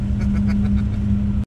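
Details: Van at about 70 km/h: loud, steady droning hum with a low whine under road noise; owner plans to change worn wheel bearings.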